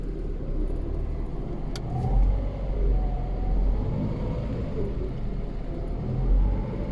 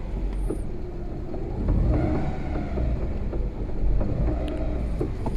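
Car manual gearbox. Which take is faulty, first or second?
second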